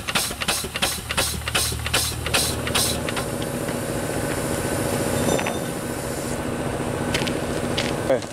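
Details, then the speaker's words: Newly delivered small steam engine, first run in decades, hand-held on drums with no base. Evenly spaced chuffs about twice a second, then a steady faster run with no knocks; runs well. "good running engine."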